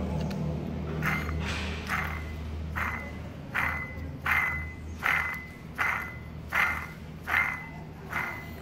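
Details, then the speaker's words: Toyota Corolla: rough, gritty whirring with a ringing edge as the removed, worn water pump bearing is spun by hand; pump being replaced. "Galera, escuta o barulho da bomba d'água,"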